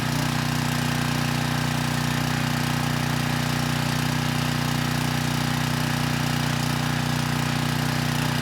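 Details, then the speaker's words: 6,000 watt Troy-Bilt generator after repair, 15-minute run with a 3000 watt load and 240 volts at the 240 outlet: steady, even drone with a constant low hum, no stumbles or surging; normal running under load. "I ran it for 15 minutes. We had 240 volts on the 240 outlet, and I had a 3000 watt load on during that time, and it didn't miss a beat."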